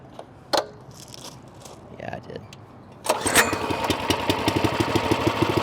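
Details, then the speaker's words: Pull-start equipment engine cold-started at middle throttle in cool weather, running temperamental. Handling noise, then it catches at three seconds and settles into a steady, slightly uneven warm-up run; cold start and warm-up idle. "It's still kind of cold outside, so these engines are being temperamental."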